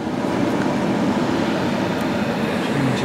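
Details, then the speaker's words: 2006 Saab 9-3 HVAC blower after repair: blocked drain let water into the old motor; drains cleared, new blower motor and new cabin pollen filter fitted. Steady even fan rush with low hum, no rattle or squeal; normal blower operation. "so that's all we did that without the drains clear new pollen fields new motor in there or working happy days"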